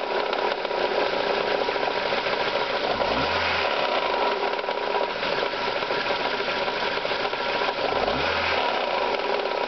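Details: Ford Zetec petrol engine idling with a rapid, even sewing-machine-like tapping knock, present not just at start-up but also at operating temperature; started barely noticeable and worsened, cause unknown.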